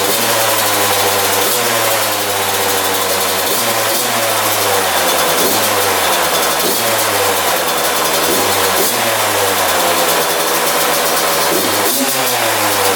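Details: 2001 Yamaha YZ125 two-stroke after top-end rebuild, new pipe, cleaned carb: raspy idle well above normal, revs surging and falling about every 1.5 seconds; owner thinks extremely loose intake manifold bolts let it suck in air.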